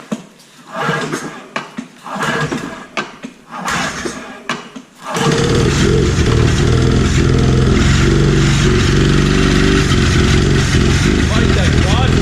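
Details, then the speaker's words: 1997 Ski-Doo Formula 500cc two-stroke snowmobile, sat 5+ years with oil injection hooked up; carbs cleaned, new intake flanges, primed, ether used: several sputtering pulls before it catches, then a lumpy run; crankcase flooded with oil, plugs suspected oil-loaded. "It's flooded, dude. Watch, I bet the plugs are loaded with oil. Why is there so much oil in it?"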